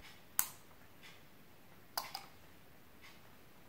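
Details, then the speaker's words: DIY UPS with 12 V and 19 V outputs, relay tested with a 12 V charger on input: three sharp isolated clicks about a second apart as the relay switches load from battery; working normally. "you can hear the relay clicking so it's working"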